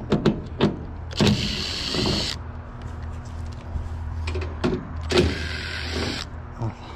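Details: HVAC blower motor replaced about three weeks earlier: steady low electrical hum with no spin-up, heard from inside, under clunks and handling noise; blower failed to start because of a failed capacitor.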